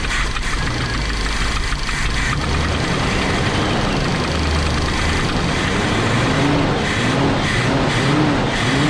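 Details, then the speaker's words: Big-block Chevy V8 in a motorhome on a snowy day, after the fuel supply was restored following starter-only cranking with no fuel. It fires up into a deep, steady rumble with throttle blips, sounding much better. Normal running. "Oh, that sounds better. There we go. Oh, that sounds way better."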